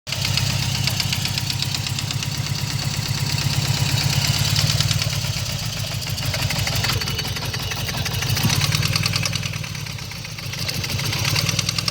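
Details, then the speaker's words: 1995 GSX motorcycle, first startup after sitting over a year, headers burning off: busy idle with fast, loose, uneven ticking-knock from back corner; owner suspects rod knock or spun rod bearings, unconfirmed. "But the knot sounds like it's coming right back here. Back in the corner. Now from that, what I've heard of that sound, usually people that when it's consistent is rod knock."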